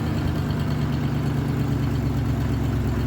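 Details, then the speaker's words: 1987 Ford F150 with the 302 V8, automatic C6 and 4x4, after the transmission vacuum modulator was reinstalled: a low, steady V8 idle with an even rumble and no misses or shaking; it is idling smoothly. "Wow, listen to that. Just idle down. It's actually running really quite smooth right now. It's not shaking. It's kind of running nice."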